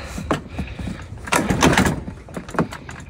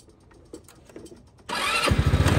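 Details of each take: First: Chinese scooter, in cold weather, got running after a struggle and starting fluid: kicks and clatter, then it catches at about three and a half seconds and settles into a steady, quick putter. Hard starting. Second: Chinese scooter with about 1,006 miles, restarted on the electric starter: a brief starter whirr, then the small engine catches and settles into a quick, steady idle. A clean, normal start.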